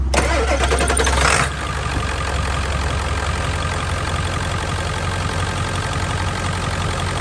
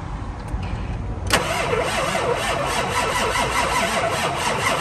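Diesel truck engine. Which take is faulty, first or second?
second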